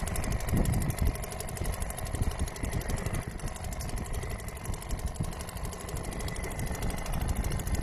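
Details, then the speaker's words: Restored old Seagull 40 Plus two-stroke outboard in the sea, revs raised because it stops pumping water at low revs. Fast, even buzz, no misses, knocks or surging. Healthy running after cleaning everything out; throttle cable did not need replacing. "So I think that's where it's comfortable revving. and pumping water, which isn't too bad."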